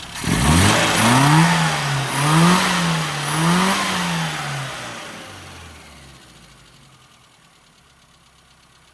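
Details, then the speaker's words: After needle modification for 3,000–4,000 rpm, enriched acceleration mixture and oil change to straight 50 weight: engine revs up and down cleanly with smooth pitch, no stumble; now fuelling really well. "it's produced an engine that's fueling really well"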